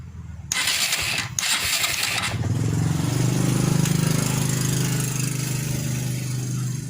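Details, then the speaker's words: 2004 Suzuki Shogun 125R (125cc): the starter cranks steadily at about 220 per minute but never fires; no spark at the CDI-to-coil lead, while the regulator and battery are good, so the CDI has failed. "Dari CDI menuju coil tidak ada api ya."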